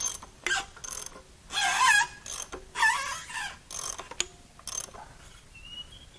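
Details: JDM Nissan Silvia SR20DET red top engine being turned by hand on teardown with cam cover off: slow ratcheting with sharp high squeals on some strokes; cam timing appeared correct, noise from a rust-seized cylinder dragging.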